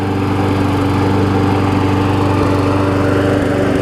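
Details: Briggs & Stratton Quantum push mower engine after cleaning clogged carburetor main jet, primed, slightly smoky: steady, even running at constant speed, no misses or hunting; normal running.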